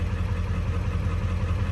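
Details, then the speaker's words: 7.3 Powerstroke diesel warming at idle after IPR replacement: a deep, even clatter with no misses or knocks. It runs noticeably smoother and quieter; IPR is falling slowly to 19.5%, with blue smoke. "But wow, I mean, it seems to be running a lot smoother, honestly. A lot quieter, and but the IPR percentage is going down slowly."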